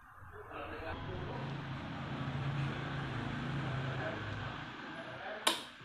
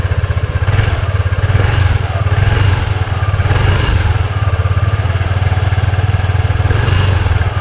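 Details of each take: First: Yamaha Aerox scooter at slow speed: buzzy rattly vibration as the covered number plate hits the rear fender. Fixed by fitting a bracket that gaps the plate from the fender. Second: Yamaha Aerox scooter idles with a steady low thrum after its number-plate bracket was modified to widen the gap. There is no buzzing or rattling from the plate, which had vibrated on rough roads.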